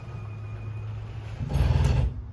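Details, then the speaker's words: 2022 Salem 29VBUD camper slide-out extending: low motor hum, then brief loud gear grinding as the motor reaches its limit at full extension; normal. "It's gonna sound like a scary noise when it does fully extend, but just know that that's just the motor reaching its limit. So it is completely normal, but you'll hear it soon."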